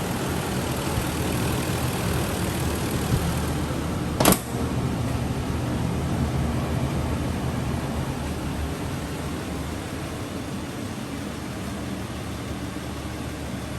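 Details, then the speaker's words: 80-series Land Cruiser 1FZ-FE after replacing belts with OEM Toyota belts plus a new idler pulley to cure an engine whine: low, even idle hum with no whine, belt drive quiet as a mouse. "got the truck all pretty much where we want it as quiet as a mouse"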